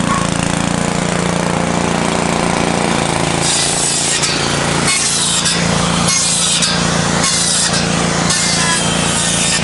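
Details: 1970s Briggs & Stratton generator built for Princess Auto: holds a steady drone with no stalling or hunting while repeated saw cuts load it; the engine runs fine under load.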